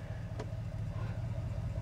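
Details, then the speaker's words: Ram truck after the fix of cycling through all the all-wheel-drive/transfer case modes: steady low idle while shifting into D and R, no clunk or jerk; clunk previously unresolved by three dealers, TCM update and ZF adaptation reset. "as you can hear there's not a single clunk or jerking Motion in your truck after you cycle through all the all-wheel drive modes so that's how you repair the clunk in your transmission super easy fix no parts or expenses required"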